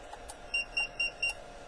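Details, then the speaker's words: Encore E4 car alarm tested on the bench without a siren: a light tap gives the first-stage warning beep, and a harder hit triggers the full alarm, heard as four short, evenly spaced high beeps. "let me do a light tap that was just the green light so I get that beep so that's the first stage"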